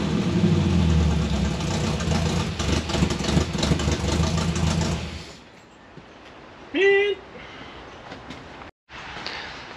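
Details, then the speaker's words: 1957 Chevy convertible hotrod with a 400 V8 running poorly before a tune-up: lumpy idle with a stumbling low beat for a few seconds before the engine drops away. Missing at idle; owner suspects bad, mismatched spark plug wires. "so it's a runner. It's got a mist there, and it seems to pick up under RPM and stuff, so it's got a couple of bad spark plug wires."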